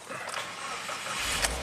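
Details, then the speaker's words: 2020 Subaru WRX turbo after repair starts and revs cleanly and strongly with no stumble or misfire. It had lost power and stalled after a DIY tune-up: the airbox was left disconnected, causing a lean code, and junk Autolite plugs were fitted. Cylinder 3 now has an NGK iridium plug. "Oh yeah. Here we go. Woo! Now we got all the power."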